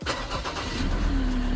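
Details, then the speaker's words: 2013 Ford Ranger 3.2L five-cylinder diesel, towed in crank-no-start with P062D injector driver code, after dead battery jumped and fuel system bled: quick crank catches into steady low diesel idle without misfire; check engine light still on. "Yep, started right up. We got check engine light on still."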